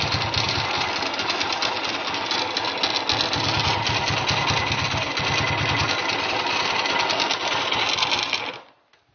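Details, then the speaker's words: Honda GL100 (GLK 100) engine from Palembang, stock CDI, idling before teardown and restoration: a loose, tinny metallic clatter over a fast idle that stops when the engine dies. The noise is at the clutch side; the head is fairly quiet, the engine smokes and seeps oil underneath. "Sebelum mesin kita nyalakan, kita lihat dulu kondisi suara mesin sebelum dibongkar, ya."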